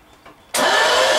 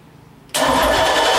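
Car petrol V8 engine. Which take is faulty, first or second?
first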